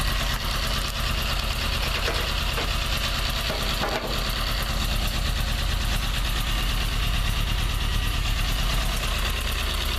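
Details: Toyota 4A-GE 20V blacktop, cold idle; rapid steady tick about three per second from the exhaust header area, disappearing at high revs, which also bring smoke; source not pinned down; ticking at cold idle.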